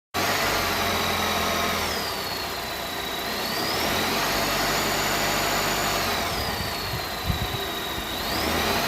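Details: 2021 Volvo S90 B4 mild-hybrid at idle: thin high whistle over engine that slowly falls and rises in pitch; PCV, oil separator, alternator, pulleys, crank seal, balance shaft, timing belt, damper replaced, not turbo, source still unknown.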